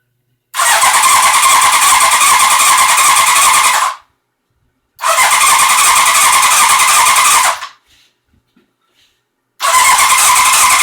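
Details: 1981 Honda CB900C on makeshift fuel feed and manual choke, despite new plugs, new coils and pulse generator, cleaned carbs, factory timing and good spark: three bursts of brisk, even cranking with no firing. Cranks but won't start, cause unknown.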